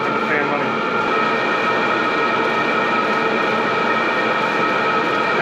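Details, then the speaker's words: maXpeedingrods 12V 5kW Chinese diesel air heater at max output (5.5), about 2 amps, about 82°C, exhaust about 100°C, smoke mostly clear; a steady, even fan roar with constant high hum and no surging. Normal at maximum output. "as the unit starts to ramp up because i've given it a higher radiance max output it is picking up noise but it's not too bad"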